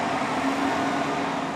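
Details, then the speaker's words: 2007 Toyota Tacoma with A/C blowing no air. Key on, engine off, blower on medium: steady, even airflow rush with a faint motor hum, no rattle or squeal; blower motor normal. "blow right now yeah okay put in the medium too as you can hear in the video is the motor running right now yeah"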